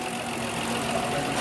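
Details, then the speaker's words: 2001 Dodge Grand Caravan after transmission and torque converter work and flattening a bent gasket that was scratching: engine running with a steady even idle and smooth hum, no scraping or rubbing; the noise is gone. "I am happy to report as you can hear the engine is running the noise is gone"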